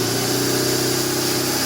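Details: 1997 BMW R1100RT no-start (it ran 30 seconds, then died), at key-on after the fuel gauge started working again. Steady, even hum with no stutter or cutting out. The fuel pump primes properly.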